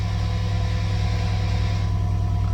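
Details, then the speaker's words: Steady low drone with fast pulsing as the Airmatic compressor runs continuously on a Mercedes-Benz GL X166, yet both rear airbags stay dropped and a malfunction light shows; fault not yet diagnosed, scan pending. "but boom malfunction light on the dashboard and the rear air suspension will not go up"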